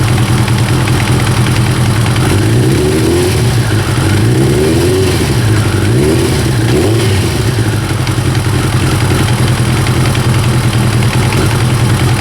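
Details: First-generation Kawasaki ZX-9R four-cylinder at idle: loose, uneven clatter over the hum with a brief blip; slack cam chain rattle.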